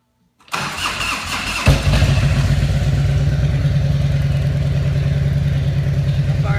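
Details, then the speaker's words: Used 1998 Harley-Davidson Electra Glide Classic V-twin: a short crank, then it fires at once and settles into an even loping idle with no ticks or knocks; a healthy start. "That fired up pretty good. That fired up real good. It's got a nice sound to it also."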